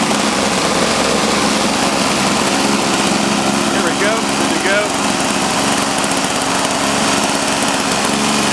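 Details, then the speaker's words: Toro CCR Powerlite snowblower, cold after sitting outside at about 28°F, after fuel system rebuild, new spark plug, intake gasket and primer line, about 120 psi compression: steady even high-pitched two-stroke buzz without stumble or surge; normal running. "Working fine, working great. Good to go."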